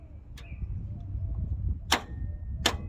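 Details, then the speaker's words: 1989 Ford Mustang Foxbody 2.3L four-cylinder, 5-speed, no crank, charged battery, starter jumped from outside with a screwdriver: a couple of sharp solenoid clicks with no cranking. The solenoid works, but the starter motor has failed and was replaced. "so i know it ain't the solenoid solenoid seem like it's working function click"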